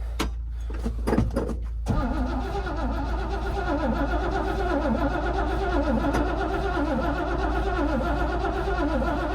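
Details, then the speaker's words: Yard machine cold-started in winter, fuel present and choke used: starter cranks with even compression pulses about twice a second but never catches; owner suspects no spark, not confirmed. "she don't sound like she's got spark"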